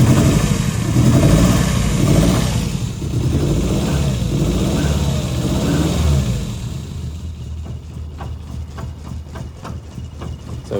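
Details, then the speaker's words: 1973 Lancia Fulvia 1.3L V4, fully cold, choke off: throttle blip picks up sluggishly, then idle sags and nearly stalls; cold idle droop without choke. "the chok's not on there's no quick accelerate there you can hear one idle down and almost die cuz we don't have the choke on but that's fully cold"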